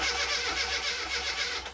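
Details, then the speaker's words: Classic Mini after restoration, not run in 2.5 years. The starter cranks evenly for about two seconds with no firing: crank, no start, out of fuel, needs fuel put in. "Basically you can see. So we need to put a bit of fuel in it and then hopefully get it going."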